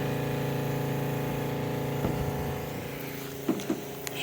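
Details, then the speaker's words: Southeast Softwash Alumimax Pro skid soft wash pump, water valve fully open, soap cracked, bleach off: even, steady hum with strong flow; cavitation appears only when bleach line opens, from an air leak there. "nice strong flow pump sounds good just leave that on there"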